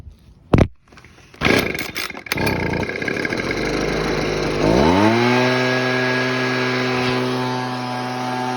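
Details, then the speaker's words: Husqvarna 125B two-stroke during carburetor tuning at full throttle. Turning the mixture screw a quarter turn left makes it four-stroke; a quarter turn right makes the four-stroking go away. It starts, then climbs to a steady high howl. "I'll turn it quarter turn to left you'll hear it four stroke I'll turn it quarter turn to the right you'll hear the four stroke and go away all right here we go"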